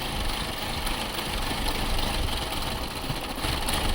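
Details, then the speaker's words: 2006 Chevy Cobalt with codes P0068, P0106 and P0300 and an erratic idle, just after the MAP sensor was unplugged. It idles lumpy and unsteady with a stumbling beat, now a dead misfire; owner suspects an intermittent wiring issue. "okay yeah it definitely seemed to affect it now we have like a dead [Music] misfire"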